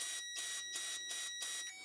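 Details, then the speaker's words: Fuel injector removed from a 2005 Honda CR-V K-series engine, bench-powered during DIY cleaning: quick regular ticks about three a second under a hiss of cleaner spray as the injector clicks open and shut normally. "you can hear the injector clicking just a little bit it's a little crude guys and it makes a mess"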